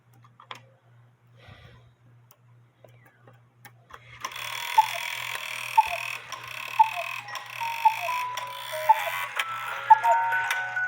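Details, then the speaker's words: 1950s Poppo musical cuckoo clock with count wheel: steady tick about once a second while the music box keeps playing, because the music box stop bar needs slight adjustment to stop the governor fan. "and I told you that um that bar has to be adjusted or the music's going to play and that's why the music is playing this uh that bar on the music box it has has to be adjusted to stop the governor fan"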